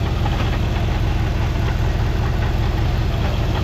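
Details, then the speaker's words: 2011 Cadillac CTS-V, 6.2 L supercharged LSA V8 idling: faint crunchy clunking rattle from behind the supercharger pulley. The spring-loaded factory isolator wears a groove in the blower shaft; fixed by removing the snout and fitting a solid isolator. "That little crunchy crunch sound coming from up in here. That's what we're after."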